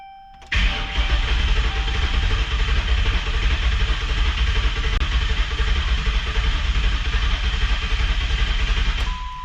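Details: Crown Vic with swapped 7.3 Godzilla V8, booster on weak battery, key cycled to prime fuel, throttle codes present: even, fairly quick cranking about nine seconds without firing; crank no start, crank position sensor signal suspected, not confirmed.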